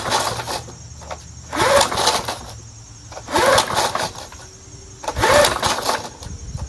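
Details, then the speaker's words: Curbside-found Snapper Hi-Vac push mower, pull-started with only a little fuel. Three separate one-second firing bursts that die each time. It has spark and fires briefly on that fuel. "Son of a gun. It has spark and it turns on. Amazing."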